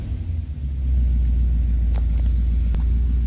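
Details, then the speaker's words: 1976/1977 Corvette Stingray V8 with Rochester Quadrajet 4-barrel, after adjusting secondary tension to cure bog on quick throttle: deep steady rumble picks up cleanly with quick response, no stumble or bog. Normal throttle response. "see no more bugging now it's a quick response and no issues"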